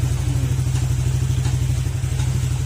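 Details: Honda Click 125 scooter after engine overhaul: even, steady putter while running, no knock or clatter underneath; engine sounds clean and healthy after the rebuild.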